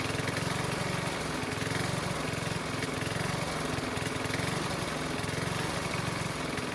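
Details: Honda mower that wouldn't start in spring after proper winter storage, now running after the fix: steady, even single-cylinder putter with no misses or surging; runs smoothly.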